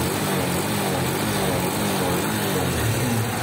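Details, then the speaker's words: Rebuilt Honda Biz 100 engine with all new gaskets, at idle: a low, steady, quiet putter with no knocks or rattles over street noise. A smooth, healthy single. "tudo arrumadinho tudo limpinho e olha a marcha lenta dessa moto silêncio"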